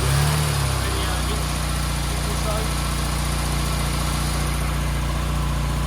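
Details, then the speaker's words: 1275 Austin Maestro barn find, one owner, 40,000 miles, first start after 19 years on a frosty morning; likely needs a carb rebuild and seems to show oil pressure on the dash. Smooth, steady low idle with an even beat and no stumbles: normal idle. "it sounds pretty sweet, doesn't it? That sounds sweet. Yeah, it doesn't sound like you've got any major problems other than a carb rebuild."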